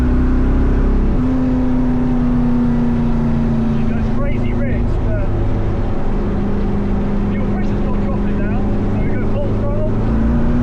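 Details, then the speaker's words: LS-swapped 2nd-gen Firebird at wide-open throttle after fitting a non-compressing performance fuel pump sock to stop pump cavitation: strong steady drone holding pitch, no stumble or stall as before, fuel pressure perhaps about 8.5; owner reckons it's fixed. "Yeah. That's solid. I reckon that's fixed. I reckon that's fixed."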